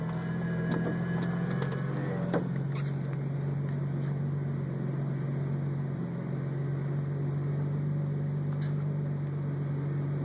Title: Strange clutch noise on 03 stage 1 roush